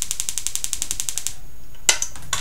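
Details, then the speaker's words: Homemade static "lightning motor" powered by a 1.5 V battery: rapid even spark-gap crackling about nine snaps a second, stopping abruptly, then two single cracks; when not jumping the gap it arcs inside. "yeah you hear that click and whenever it's not jumping across that's because it's arcing inside"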